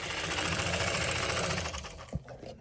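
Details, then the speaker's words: Lionel postwar set: the tender's chugger unit produces a fast, even mechanical chuff that beats on regardless of the locomotive's speed, then clicks off via its underside switch; chuff out of sync with locomotive speed. "But this chugger, see how it just doesn't match the, the speed of the locomotive. It's just going to beat the band."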